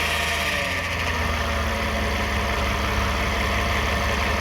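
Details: 2009 Toyota Sienna recorded from under the van with light throttle: steady rough drone and low hum under hiss, louder with gas, from the flexplate or transmission area; flexplate thought okay, cause not found.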